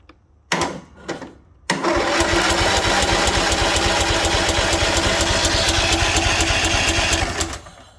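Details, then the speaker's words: Craftsman mower with Kohler Courage single, first crank, PTO strapped back as it wasn't fully disengaging: even, steady chuffing about three beats a second for five seconds; turns over normally. "Don't sound bad. What's the chances of giving her a squirt of juice and having it bark?"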